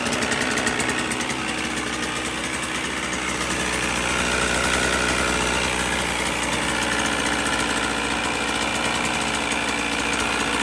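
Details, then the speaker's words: 1977 Evinrude 35 hp two-cylinder two-stroke outboard, just started after manual ignition timing: busy burble holding a steady idle at about four pulses a second, no knocking or misfire; running fine, not tested under load. "the fact that it starts it runs it holds a good Idol mostly you can't really tell how an engine's running until it's under load"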